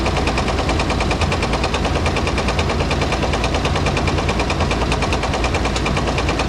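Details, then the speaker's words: Dodge M37 military truck engine, revived after sitting about 14–15 years, at a very low idle with a loud, sharp knock about twice a second; owner suspects a rod knock, unconfirmed, and notes a possible oil pan gasket leak. "this thing's running really really good though this this dang rod knock"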